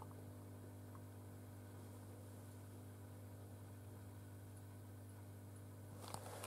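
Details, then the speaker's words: Valve amplifier using 805 tubes, cold start just after preheat and high-voltage switch-on, heard at the speaker output: constant low hum with faint hiss, roughly double on the right channel; residual hum traced to faulty valve V02. "Et comme vous pouvez le voir, exactement comme hier, voici le bruit résiduel en sortie HP."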